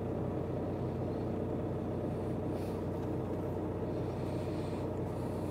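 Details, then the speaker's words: VW Crafter diesel van after replacing faulty auxiliary belt tensioner and damaged belt and fitting a 180 amp alternator: low, even diesel rumble with no belt squeal or chirp; engine much quieter than when the tensioner was jumping. "the engine's A lot quieter that's that was a big thing that was obvious before when the tensioner was jumping"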